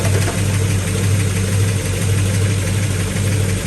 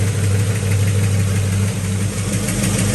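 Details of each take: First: Possibly 1970 Pontiac GTO V8 with new 2.5-inch aluminized steel exhaust, after spark plug reorientation, idling while timing checked at about 10–12°: steady deep rumble, no misses, knocks or ticks; healthy, smooth idle. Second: Possibly 1970 Pontiac GTO V8, new 2.5-inch exhaust, nearly warmed up, timing about 10–12°: steady idle with quick light ticking knock on top, a loud lifter knock; valve cover to come off to investigate.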